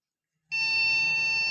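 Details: Motherboard hot testing on the bench: one steady, high-pitched beep lasting about a second at power-on with no display; a board alarm pointing to a fault, possibly memory, and the RAM was changed.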